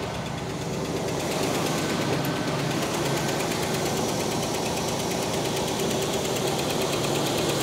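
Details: 1969 Cadillac Eldorado V8 with 21,000 original miles, first start after about 20 years: steady, even idle with a smooth, unchanging rumble and no misses or knocks; healthy.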